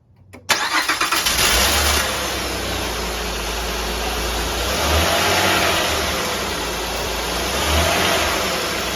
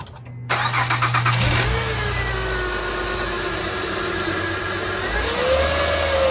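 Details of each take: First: 2003-2008 Honda Pilot engine cranks, catches quickly and settles into a smooth even idle after alternator replacement; the earlier high whine that rose with engine speed is gone. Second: Honda Pilot (2003–2008 generation) alternator bearing whine. After a brief crank the engine catches and a steady whine rises in pitch with revs, traced by stethoscope to the alternator housing, which was then replaced.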